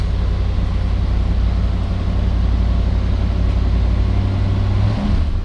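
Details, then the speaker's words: 1968 Ford Torino GT convertible 390 V8, cold start after pumping the gas: fires right up, holds a strong, even rumble and revs cleanly, sounds healthy. "I also just want to real fast just start at first the gas a couple times you know does start right up real nice"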